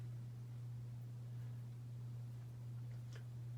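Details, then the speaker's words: 52-inch Hampton Bay Cameron II Plus ceiling fan, made 12/1999, with a bad capacitor. A loud steady low hum while the motor turns slowly on high; the hum goes away on low speed. "unfortunately i found a weakling in the cameron clan because this one has a bad capacitor and it hums really badly because of that it's not going to perform like it should"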